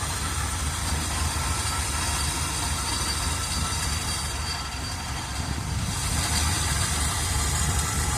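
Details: 1978 Chevrolet Custom Deluxe truck, engine freed from being stuck after sitting for years, carburetor had water in bowl: uneven idle rumble, beat wavering and surging slightly; not idling great, cause unconfirmed. Rough idle.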